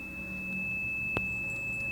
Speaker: so this is our old water level indicator here and probably as you can hear it beeps when we hit the water